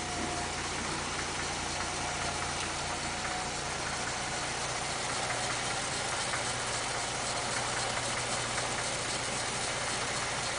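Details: 1947 International Harvester KB-1 panel truck with an unrebuilt Green Diamond 214ci, cold start at about 35°F after sitting a few days, no fast idle linkage: even idle, steady low rumble, soft valve chatter, no misses or knocks. Normal cold idle.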